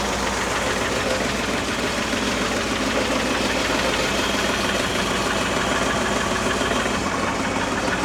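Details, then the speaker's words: Old Mercury Ford 260 V8 with new lifters, idling: light quick ticking about three per second; valvetrain tap, rockers/lifters still need lash adjustment, carburetor untuned. "Sounds a little better, not great, but so I'll go through it and I'll get these adjusted."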